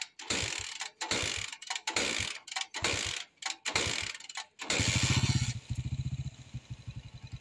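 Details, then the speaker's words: Honda XRM 125 motorcycle cranks in harsh bursts, then idles with a loud clattery rattle like stones being ground inside the engine; timing gear mentioned, cause unconfirmed; noisy engine with mechanical rattle. "pakinggan natin angar ng xr m 125 na to Dahil parang may ginigiling na bato sa loob ng [Palakpakan] makina"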